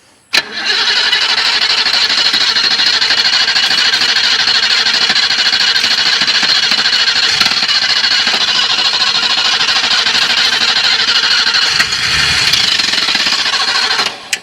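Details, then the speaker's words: 1980 BMW 528i (E12) that sat about 8 years in the Florida sun since 2017, first start attempt on a jump charger: long, labouring crank at about three turns a second that never catches, a battery too weak to spin it properly. "All right. She's got to come back around, bud. You know what I'm saying? All right, stop. We're gonna have to let it charge for a minute."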